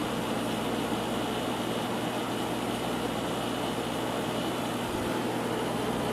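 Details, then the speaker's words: 1994 White Westinghouse 5200 BTU air conditioner with an LG Gold Star compressor, unused for a long time, giving a steady coarse droning hum with a hissy rush at startup before it quiets down. "it's quieted down a little bit now it will quiet down even more haven't run this unit in a long time so that's why it sounds like that"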